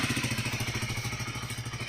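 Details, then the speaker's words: DM125 single-cylinder motorcycle after repair of loud engine noise caused by worn piston: steady even putter around twelve beats a second, no knock or clatter; idling smoothly, noise gone. "ya se le quitó el el ruido ya se le quitó el ruido a la moto amigos podían ver era eso"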